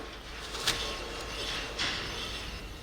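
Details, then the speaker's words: 2005 Scion tC, 169,000 miles, driver front wheel spun by hand with microphone close: quiet apart from light brake-pad swishes; no hum or growl, wheel bearing normal. "and how you can hear it just break pads but the wheel bearing it's absolutely quiet"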